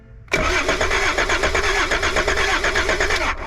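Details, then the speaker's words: Long-abandoned Volvo 740 D24T turbo diesel with a replacement spare starter fitted, cranking before the fuel is turned on: steady, even compression pulses for about three seconds, strong regular cranking without firing. "okay finally crankage so we're back to seeing if we got feel up here so we'll turn some fuel on"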